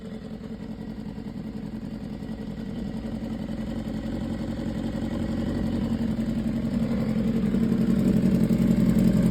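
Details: 2015 BMW S1000RR at 7.8K miles with a fast, even light tick about four per second, building as revs rise; top-end ticking, sounds like valvetrain, cause not confirmed.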